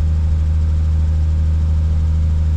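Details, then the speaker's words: Toyota Supra 2JZ with wideband gauge, at rest before a drive: steady deep drone held at about 1500 rpm, well above normal idle, no dip or hunt; crew suspects a change in vacuum, cause unclear. "αλλά οι στροφές γιατί πήγαν 1500."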